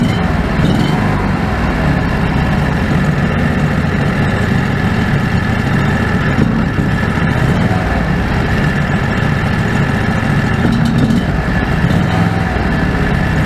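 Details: Predator 670 after adjusting the stock carburetor (brass caps removed), fed by an electric fuel pump with a crankcase vacuum line. Even, steady low idle with no hunting, surging or misses. Factory idle was unstable; now stable and much better.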